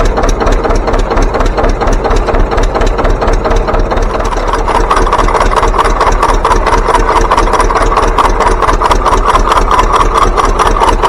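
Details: John Deere 720 pony-start two-cylinder diesel tractor: slow, heavy, even thumping idle at a bit over two beats a second with light rattle. Healthy two-cylinder diesel idle.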